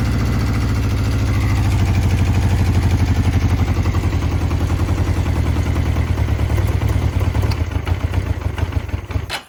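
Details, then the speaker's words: 1982 Honda CB650 four-cylinder, first start after VB44 carburetor rebuild, temporary fuel feed without tank: steady low even burble for about nine seconds, then dies abruptly when killed; runs cleanly, normal running. "Oh, there's the fire. Sounds it like, runs. Sounds like a run to me. Yeah, it does."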